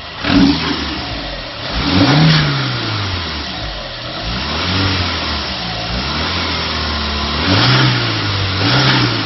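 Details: VW 1.9 diesel, first proper run without misfire: starts cleanly, then revs rise and fall smoothly with a steady, even beat; healthy, no misfire.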